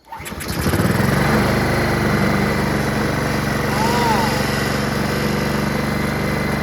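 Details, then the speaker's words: Honda HRR216 Harmony II QuadraCut push mower rebuilt from two broken ones, no blade fitted, primed with starting spray: brief crank, then a steady, even single-cylinder idle; engine and self-propulsion work, normal start and idle. "hey hey hey The self-propulsion Works engine starts up it just needs a blade"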